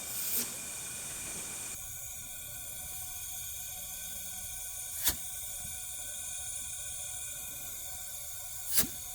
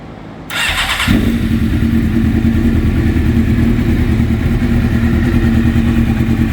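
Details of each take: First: Suzuki GSX-R750 leak-down test, cylinder at TDC on compression stroke: steady hiss of air escaping out the intake; intake valves not sealing, causing low compression and no start. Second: Suzuki GSXR750 after a valve-seal/cylinder head repair for low compression, new intake manifolds and no air leaks, mixture screws at two turns: the starter whirs briefly, then the engine catches and settles to a steady, even idle. Healthy.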